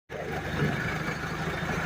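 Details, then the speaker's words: Balkancar with a swapped 417 engine after a full overhaul: smooth, steady low hum with an even beat and nothing tapping or rattling; healthy idle. "Второй двигатель после капремонта. Мурчит как камрыфа."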